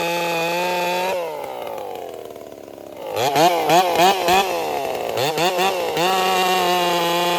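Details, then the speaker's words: Racing-build chainsaw, Dolmar 7900 or Holtzfforma 395 (unclear which): high scream drops and warbles unevenly in the cut, four-stroking the whole time under load and running as if governed, then recovering out of the cut. Suspected coil or carburetor; unconfirmed. "Well, it's running horribly. Um, another coil or something. She's uh basically four stroking the whole time in the cut."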